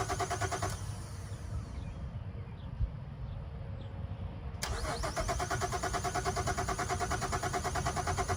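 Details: 2011 Chevrolet Traverse that died at a detail shop after running over road debris: starter cranks in even pulses, stops, cranks again, never catches; crank no start, codes pointing to a suspected cause, not confirmed.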